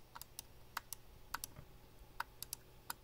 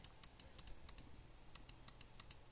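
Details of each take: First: Glorious Model D mouse, about three months old; sharp uneven left clicks, some with a dull doubled crunch when pressed on a certain spot, loose inside; crunchy loose mouse click. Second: Glorious Model D mouse left button, about three months old: crisp, clean single clicks at an uneven pace with no crunch; a normal click, unlike the occasional loose crunch click on this button.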